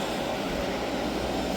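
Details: Hyundai portable AC after leak repair and recharge (it had gone warm after two weeks), on 16° max cool and now getting cold: steady, even rushing hum from fan and compressor with no knocks or rattles, a healthy unit that is just loud.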